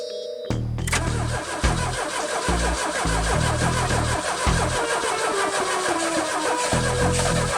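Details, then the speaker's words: 1984 Pontiac Fiero during restoration, cold start in the 20s °F after priming fuel: reedy squeal rising and falling over a lumpy cold idle; worn drive belt slipping, to be replaced. "As you can hear, the belt's a little ticked off here. I'm gonna end up getting a new belt for it, but as you can see, she runs a lot better than she did in the previous video."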